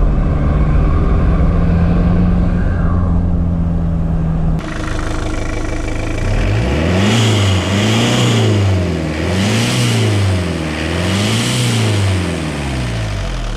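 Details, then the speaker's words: Mitsubishi L200 K74 diesel; idles, then each rev blip brings a rushing hiss swelling with boost, as if the turbo is open; boost leaking at the throttle body gaskets, later fixed with instant gasket. "it just sounds like there's no it just sounds like the turbo is open it just sounds like all the Boost is coming out"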